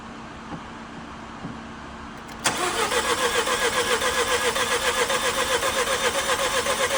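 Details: Nissan Juke 1.2 DIG-T turbo petrol after timing chain kit replacement and engine rebuild, coolant refilled, first start: quiet until the starter catches at about 2.5 seconds, then an even, steady idle with regular pulse, no knock or rattle; normal start and idle.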